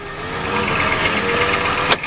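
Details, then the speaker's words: Ford 7.3L diesel pickup cold start at about 50°F, smoking heavily; high chirping belt squeal in bursts over a rough idle from a slipping belt, owner blames swollen belts and pulleys. "She smokes like hell, though. You don't want to rev a diesel. It's cold either. Yeah, the belts are squealing."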